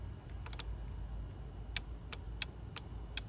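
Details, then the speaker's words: 2008 Honda CR-V EVAP purge valve solenoid energized with a Power Probe from the battery during diagnosis of a check gas cap warning. Crisp sharp clicks, three quick then about six at half-second spacing; the solenoid switches as it should. "so you want it for it to be clicking that's what you're looking for so you're looking for a click"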